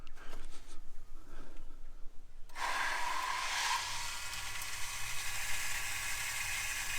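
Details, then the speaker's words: Rainwater tank garden tap pump, primed and then switched on: after some handling, a steady hissing whir starts and holds with a faint tone; the pump builds pressure and works normally. "So it's built the pressure, and now it works."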